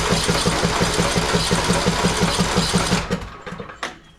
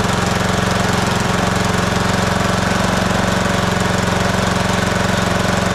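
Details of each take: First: Husqvarna YTH18542 riding mower, Briggs & Stratton 18.5hp Intek single-cylinder, cold, oil low and black: starter cranks steadily about three turns a second for three seconds, never fires; crank no-start. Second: Husqvarna YTH18542 riding mower with an 18.5 hp single-cylinder Briggs & Stratton Intek, running during its annual service after an oil change while the oil filter fills: even, steady single-cylinder drone with no misses or knocks, then a clean wind-down; running healthy.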